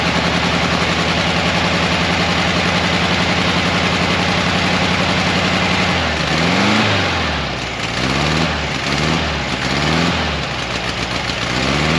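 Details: 1968 camper bus air-cooled flat-four after freeing a stuck valve and replacing a bent pushrod: fairly steady idle that surges and sags as revs are blipped; rough running, owner suspects old points or rich carburetor.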